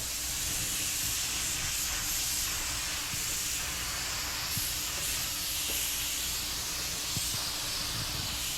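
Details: Normal spraying: Harbor Freight spray gun, just cleaned, at 30 PSI priming an 81 Corvette hood after block sanding; steady airy hiss, even and unbroken, no sputter or spitting, atomizing cleanly.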